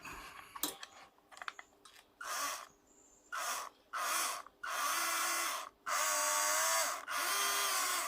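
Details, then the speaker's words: Upgraded WPL B36 1/16 RC truck after swapping in a slightly larger motor pinion from a spare motor, replacing the too-small original that didn't bite: motor whine rises and falls cleanly, no grinding or skipping; gears mesh smoothly. "Giginya memang yang ada sedia itu dia ada sedikit kecil, jadi itu biting dia tidak ada. Jadi sekarang sudah tukar dengan yang satu tuh, jadi sedikit besar."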